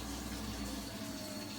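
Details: Vaillant boiler with an intermittent fault (6–7 visits) where the flame went out, the pump dropped to low speed and stopped. Pump now running with a steady low hum and water rushing, no rattle or stalling. Fix was locking it on high speed.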